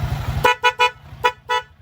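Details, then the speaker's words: Low-budget horn (previously unboxed cheaper unit, before swapping to new dual horn): five short, clear, bright honks over a quiet idling engine; sound is okay, horn works properly. "Yung tunog niya kasaya na, okay din naman."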